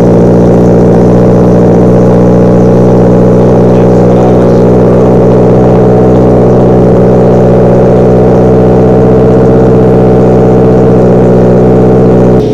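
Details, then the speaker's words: 2015 Subaru Impreza, first start after an Invidia R400 catback exhaust install, at idle: steady even low exhaust drone with no misses or ticks; a nice, calm, normal idle. "Nice calm idle, love that."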